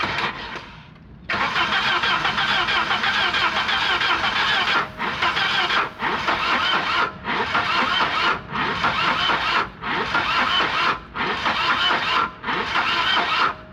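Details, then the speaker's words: 1984–85 Volvo 240 long parked in the woods, started by feeding brake cleaner: engine fires and roars but sags and recovers about once a second, smoke from the dipstick tube; rough running, loading out. "uh that is uh potentially very bad okay so what's happening is the uh motor's loading out MH uh partly because it is firing on the brake clean"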